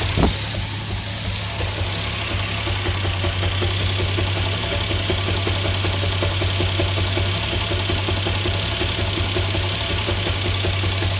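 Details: Toyota Supra RZ at idle: steady idle with irregular light knocking, roughly two to three per second, over a low rumble; knock of unknown origin.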